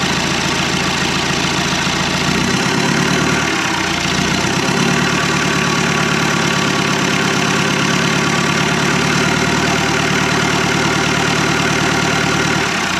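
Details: 1991 Land Rover Defender 90, Turner Engineering remanufactured 200TDI diesel, first start: low uneven idle with loose rattly clatter over a low drone; owner thinks idle is set a little low, and a little throttle smoothed it out; 50 psi oil pressure.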